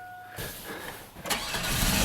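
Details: 2002 GMC Sonoma V6 after the pinched, twisted fuel line at the filter was rerouted and the O-ring replaced: brief crank, then catches at once and runs steady and even; normal start.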